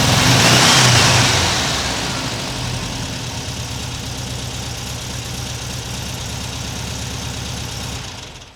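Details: 1979 US fuel-injected air-cooled VW Super Beetle convertible with a new Vintage Speed stainless exhaust, microphone on the camera: a sharp rev blip drops back to a steady, throaty idle with no rasp or leak puffing. Healthy exhaust.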